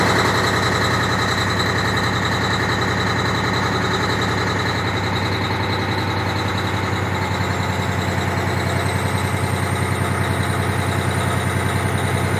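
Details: Cummins ISX 870 diesel truck at idle after injector replacement and overhead adjustment, air connector off; lumpy uneven beat about three pulses a second with a stumble; still has a miss.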